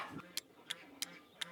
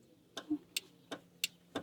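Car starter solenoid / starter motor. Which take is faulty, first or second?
second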